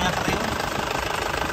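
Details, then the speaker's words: Late-2003 Isuzu Panther LS Black Panther diesel, full original engine, radiator and alternator recently serviced: even, steady diesel idle clatter with no ticking, knocking or stumble, not rough, no blow-by smoke, clean exhaust; healthy engine. "Kas penter suara tek tek tek tek tek tek enggak ada tidak kasar ya"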